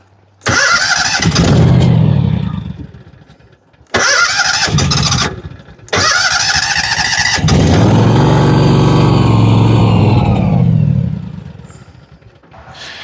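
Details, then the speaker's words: John Deere 757 Z-Trak zero-turn mower after a new starter: the engine fires, runs briefly, then sags and dies as if out of gas; earlier it sounded like one cylinder. "Now it sounds like she's running out of gas. The other day it sounded like it was one cylinder."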